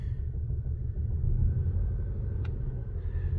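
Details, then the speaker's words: 2010 VW Passat idling with flashing engine light: low, lumpy idle with an uneven rumble stumbling every few beats; active cylinder 3 misfire confirmed by scan code, spark plug versus coil pack not yet determined. "I get in and you can see when the engine light flashes that you have an active misfire going on"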